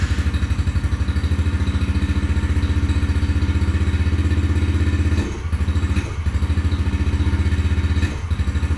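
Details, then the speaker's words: 2021 Yamaha TTR50, unused for a couple of years, after carburetor reinstall: small single thumps fast and even on choke, then sags and stumbles; still won't idle off choke, owner suspects idle set too slow, unconfirmed. "well well it still doesn't seem to want to idle off choke but it may just be set to idle too slow"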